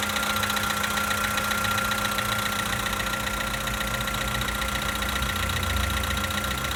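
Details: 2013 VW Polo Sedan Sochi Edition, 65,000 km, cold-start idle: a fast, fairly even ticking knock, about three to four a second, over a steady hum; source not pinned down.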